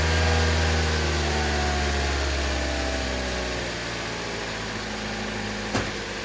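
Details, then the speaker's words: 2011 Toyota Corolla S, idling in drive on the brake with A/C on, after throttle body and MAF cleaning: idle sags and shudders twice; intermittent cylinder 2 misfire, no check engine light, from a faulty coil pack. "okay it's still bucking a little bit right there twice"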